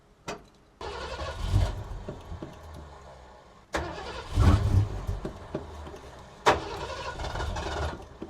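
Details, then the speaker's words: 1980s Ford Bronco 351 V8 with a new fuel cell, which keeps running out of fuel; three bursts of cranking that catch briefly then die, with quiet gaps between, likely out of fuel. "I reckon I'm out of fuel. It sounds like it's out of fuel."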